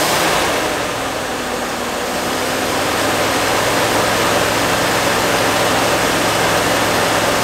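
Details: 1969 Fargo 500 dump truck, long-stored V8 running on gas poured into the two-barrel carb: loud, rushing, fairly even run with a steady low pulse about four a second, holding on its own; smoking, slight exhaust manifold oil leak.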